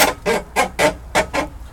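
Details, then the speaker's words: Toyota scissor jack being cranked up during a flat tire change, jack stored in a soaking wet compartment: six rhythmic squeaky creaks about three per second matching each turn; owner suspects screw thread or scissor pivots, plans GT85 spray. "So, gonna give it some squirt GT85 in there, and then there's the long thread thing down there. It could be the scissors down there."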